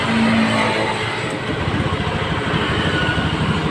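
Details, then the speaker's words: Honda Scoopy FI scooter with severe misfire and no power: engine runs rough and stumbles under throttle; fuel pressure drops to about 18–20 PSI when running versus about 40 expected, suspected weak fuel pump. "lebih parah yang motor hidup dia Hai turun ya turun sekitaran 18/20 PSI ya awam untuk tekanan segini dia tidak normal lah"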